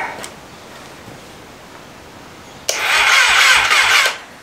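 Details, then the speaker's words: 1988 Kawasaki ZXR250, first start attempt with fuel in the carb bowls and choke not working; short burst of slow, lazy starter cranking with few compression beats, no firing; owner first doubts spark, then suspects it isn't spinning fast enough; bigger jumper leads tried next. "Something tells me we're not getting spark. Well, no. I think it's just not spinning over quick enough."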